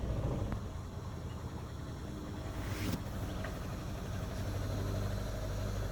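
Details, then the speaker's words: 2011 Renault Sandero 1.6 with misfires, low idle and power loss, after a new fuel pump, plugs, MAP sensor and throttle position sensor: a low, uneven idle with an irregular thump; less shaking than before but still rough and short on power. "well the shaking is not as bad as as it was but the power is still not there"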